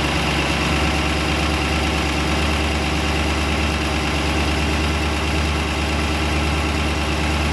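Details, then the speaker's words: New built 350ci Chevy V8 (~350 HP) in a 1991 Malibu Competition ski boat, first run: steady, even idle with a constant low rumble and no knocks or misses. Healthy normal idle. "wow that's pretty impressive things fired right up that's amazing"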